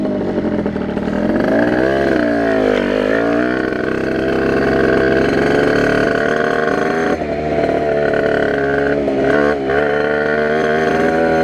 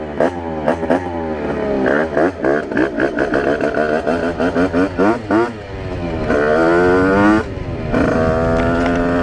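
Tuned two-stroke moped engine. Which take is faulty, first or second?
first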